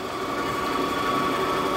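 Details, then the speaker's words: Clausing Kondia 3hp vertical mill with ProtoTrak Edge 2-axis CNC, just serviced and calibrated, running a circular pocket program: both axis servos and ball screws run quiet, smooth, even hum, no noise, brake works; normal servo motor operation. "See, both servos are running. Brake works. You can hear these motors run really quiet, nice and smooth."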